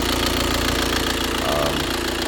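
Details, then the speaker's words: 2016 (66-plate) Audi A4 2.0 diesel, running rough with no power four days after a timing belt replacement. Loud, harsh idle with an uneven clattering rattle and knock; cause unknown. "you can hear, the engine running. It's not running well. Loud, noisy."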